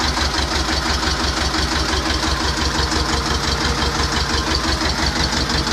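Steady, regular diesel chug at an even idle with no knocks or stumbles; this tractor engine is idling healthy.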